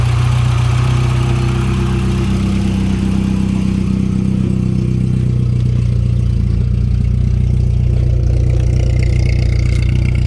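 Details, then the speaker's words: 1989 Volkswagen Jetta MK2 1.8L with aftermarket louder exhaust: starts and runs well, then after a couple of minutes sputters, smokes, and idles with deep uneven chugging near stalling; cause unknown. "now it starts smoking and running really rough almost to the stalling point believe this is as bad as it's gonna get"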